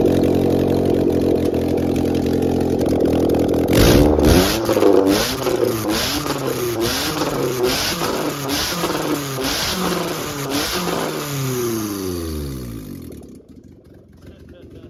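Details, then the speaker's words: EG Honda Civic coupe B20 all-wheel-drive swap with AWD header and no exhaust, very low on fuel: loud raw bark, revs climbing and falling several times then shutdown; open header, running healthy. "it's very low on gas it was probably just keep it running an open head though that sounds so good"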